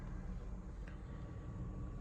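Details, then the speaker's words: Peugeot 208 1.2 petrol, after resetting engine adaptives following running without oil cap, next day after about 35 miles driven: steady, even low idle hum with no dips or surging. Normal idle, fault fixed. "You can just see it's idling nice and smooth there. I've actually done about 35 miles in it, but yeah, it's running spot on now."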